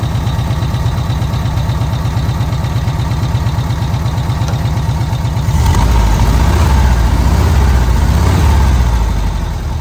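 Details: VW Kombi air-cooled petrol engine on its carburettor after the jet (chicre) was swapped, idling while the air is adjusted: a steady low beat that picks up and smooths out around six seconds; normal, healthy idle.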